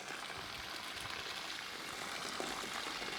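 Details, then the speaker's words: Weak pipe with the water hammer arrestor removed and the valve shut and reopened repeatedly: the pressure surge bursts the pipe, followed by a steady hissing rush of spraying water. "So, uh, as you can see, that's what happens to weak pipe. When you don't have a water hammer, all that pressure that's built up from you stopping that valve just launches back into your system."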